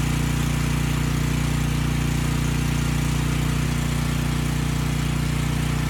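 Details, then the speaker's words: Briggs & Stratton Storm Responder generator (engine 21T212-0116-G1), formerly stuck at TDC with fuel-flooded crankcase, first run with governor spring tension backed off: a steady single-cylinder thrum at a low, unchanging speed with no misses or knocks. Normal running at low governed speed. "the engine is going to be slow i backed off the spring tension i may not bring that speed up now"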